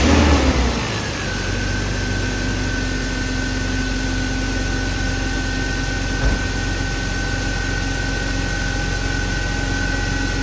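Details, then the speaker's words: BMW E36 M3 after retightening a loose spark plug that caused thumping/ticking: engine starts and settles into smooth, even idle with no thumping; normal. "Look at that, no more thumping. Yes, that's what fixed it. That was a loose spark plug."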